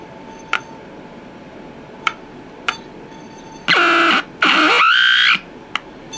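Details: Packard Bell 35 AM tube radio: sharp pops, then two one-second bursts of warbling squeal and buzz instead of stations. Injected IF signal gets nothing through; coils and tubes check good. Squealing oscillation, cause unknown.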